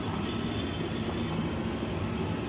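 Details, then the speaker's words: 2016 Jeep Wrangler 3.6L cooling system pressure test, engine off: steady airy hiss as pressure won't build while pumping; system not holding pressure, leaking badly from the water pump. "So, this has a really bad leak because it's the pressure is not even going up as fast as I'm pumping. So, as you can hear, you can hear that leak."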